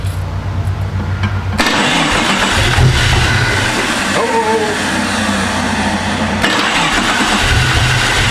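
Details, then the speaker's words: Jeep with swapped engine: cranks, catches and runs rough with stumbling uneven beat; one cylinder dead because a coil boot was not seated. "That's weird cuz now we know it's running on six and don't want to run low."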